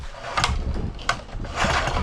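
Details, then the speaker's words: Old Rover lawn mower, unused over 10 years in a dry place, was running when stored, rusty with no oil: pull-cord pulls give whirring, ratcheting bursts as the engine spins freely without firing, so it is not seized. "oh yeah okay that seems to sort of turn over"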